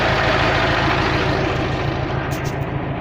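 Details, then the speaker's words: KamAZ diesel idling, about five bar pumped up: steady regular knock about three times a second; at least two pistons slapping, loose on worn skirts (seized piston group). "это вот поршневая уже Короче как минимум два поршня стучат там такая хрень ребята Они короче уже на юбке болтаются так вот такой стук идёт"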